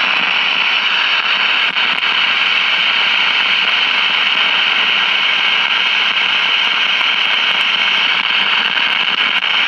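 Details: 1956 CBS 5-tube AM clock radio after swapping the 12AV6 detector tube: constant loud hiss with crackly pops; arcing silver mica capacitors visible in bottom of IF can, confirmed by grounding the IF output to the detector.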